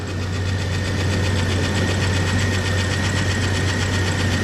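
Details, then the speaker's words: S10 Xtreme with newly installed 4.3 V6, first start after oil fully bled down: steady idle with light, fast, slightly uneven ticking, first thought a lifter tap, found to be the distributor rotor button rubbing the used cap. "bit of a noise either a lifter tap actually feels like it's in the distributor rotation I just took out a part looked at it there we go the rotor button is rubbing the cap for some reason"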